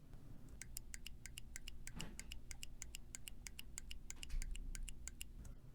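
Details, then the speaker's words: Jet Edge intensifier pump check tube after service, new inlet screw torqued to 65 in-lb, shaken by hand: crisp light clicks about three a second, slightly uneven; inlet poppet opening and closing freely as it should. "To verify operation, shake the check tube. You should hear the inlet poppet opening and closing with a clicking noise."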